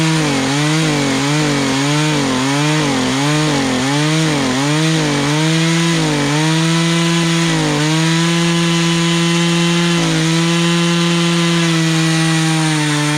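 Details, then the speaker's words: Poulan Pro two-stroke chainsaw, sat three years, carburetor newly adjusted with adjustment tool, cutting a log: high buzz dips with each push, then holds an even pitch without stalling; chain needs sharpening; normal running under load. "oh wow okay so let's cut and fine besides i probably need to sharpen the teeth up but i got it where it's not stalling out as you're cutting through"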